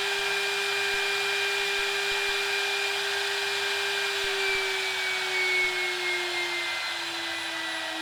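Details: DIY CNC router spindle on its inverter, cranked up past about 80 Hz: a clean, steady high whine holding one pitch, easing down slightly near the end, with no rattle or roughness. The spindle runs normally.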